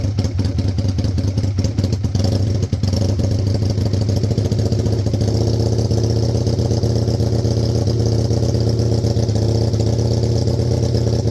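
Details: 2002 Aprilia RSV1000 Mille V-twin project bike, fired up again, throttle cables needing replacement, clutch fluid probably due: some initial clatter on start, then settles into a deep, even, lumpy idle with steady firing and no knocks. Normal, healthy idle.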